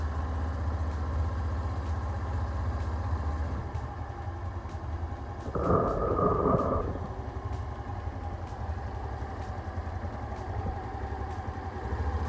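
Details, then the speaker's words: Honda Scoopy with K44 engine, previously weak and rough from fake oil, running after a replacement used cylinder head was fitted: even, quick idle beat with one throttle blip; smooth, and power is back. "Oke teman-teman ini mesin sudah menyala dengan baik suaranya juga halus tenaganya juga sudah kembali"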